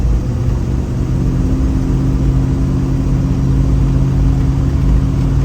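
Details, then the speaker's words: 1965 Plymouth Fury III, 318 Poly V8, 727 3-speed automatic, after timing set and vacuum advance hooked up; steady deep drone building under full throttle, no pinging or rattle; better acceleration, no detonation. "it's better acceleration. I still don't hear any detonation. Yeah, it's definitely better acceleration."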